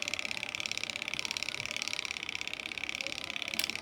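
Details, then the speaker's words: Top-load washing machine timer knob, a working timer being turned: quick, even run of crisp clicks with no slipping, the correct sound. The faulty timer, which turned slowly or not at all, gives no clicks and its spring slips back. "ఇది చూడండి, ఇది తిప్పిన వెంటనే ఇలాగా మనకి sound అనేది వినిపిస్తుంది. మీకు సౌండ్ వినిపిస్తున్నట్టుంది."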